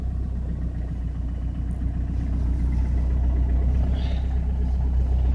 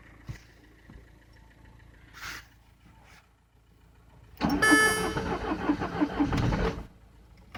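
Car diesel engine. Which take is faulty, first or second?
second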